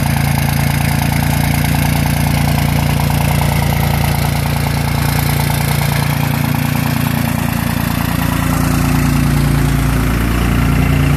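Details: Second-gen 24-valve diesel at high idle: deep, steady idle at raised speed with a slightly uneven beat underneath, suggesting a cylinder not pulling its weight; rough idle, possible dead cylinder, cause suspected, not confirmed.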